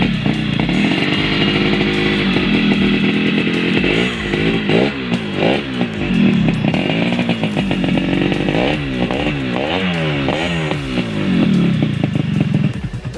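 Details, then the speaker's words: Yamaha RX King two-stroke, 2003, stock: even crisp two-stroke buzz rising and falling with throttle blips, no knocking or rattle; smoother than the older 2002 bike. "Nah, untuk suara mesinnya ini lebih halus dari yang tadi, karena secara sekilas umurnya motor ini juga lebih muda dari yang motor yang tadi."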